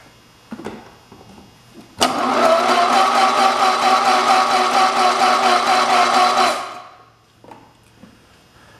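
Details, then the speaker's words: 1967 112 round fender single-cylinder engine cranked by starter, grounded directly at starter, no battery hooked to coil yet: fast even spin about two beats a second with no slowing on any stroke; no compression. "it crank silver pretty good shouldn't have any compression to it I feel like I can crank over a little bit faster but it does okay"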